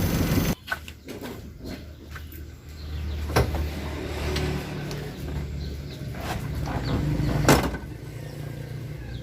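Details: Suzuki Carry 1.0 that was hard to start after washing, started with full throttle to clear excess fuel: low steady hum with even beat and no misses; engine now idling normally.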